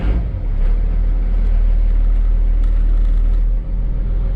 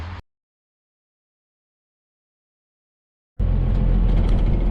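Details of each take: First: 1995 Dodge Ram 2500, 12-valve Cummins turbo diesel, with rebuilt NV4500 5-speed manual and a new clutch, run in gear on the lift after the repair: deep steady rumble with no whine, growl or clatter. Healthy transmission. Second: 1995 Dodge Ram 2500, 12-valve Cummins turbo diesel, NV4500 5-speed manual, 240,000 miles: heavy diesel drone with dense gear rattle, gone with clutch in; destroyed input shaft teeth and cluster gear, transmission rebuilt with new clutch.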